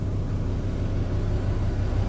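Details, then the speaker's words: Rebuilt, previously wrecked Volvo VNL truck, started for the first time after rebuild with the automatic transmission controller connected: a deep, steady diesel rumble at idle, even with no knocking or stumbling. Owner says it doesn't feel fantastic but it's running. Normal idle. "Doesn't feel fantastic, but it's running. It's going, let's go."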